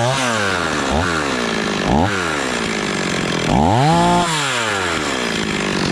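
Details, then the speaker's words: Stihl 026 two-stroke chainsaw after rebuild, warming up on thick fuel: idling a bit fast with a few throttle blips between; idle high enough that the chain just starts to turn. "let's just let her idle here now and see what happens it dies out on us or what seems pretty happy really fuel there still you're running the little fast"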